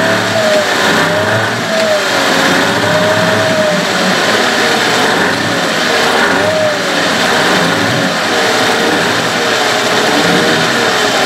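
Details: Evinrude/Johnson 15 HP outboard running with a wavering mid-pitched whine drifting up and down; less bad since the drive shaft was swapped but still heard and felt, source not pinned down; a parts motor.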